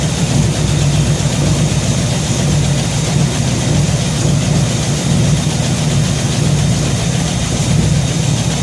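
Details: Shop truck idles steady and smooth with no misses, hiss or ticking after a fuel system overhaul (fuel pump, regulator, filters, intake gasket, carb spacer; 3.5 psi fuel pressure); no gas or water leaks, and it runs pretty good.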